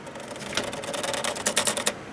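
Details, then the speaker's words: PC liquid cooling pump that suddenly went noisy mid-use: fast, uneven clattering bursts over a steady mid-pitched hum; failing water cooling pump, several fans also worn. "so that actually has to be the pump"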